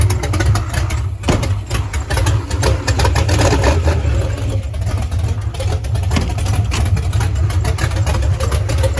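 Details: Foxbody Mustang, freshly installed 331 stroker V8 with Comp Cams, T5 manual, first start: deep, slightly lumpy rumble settling into a steady idle with no knocks or ticks; engine sounds healthy.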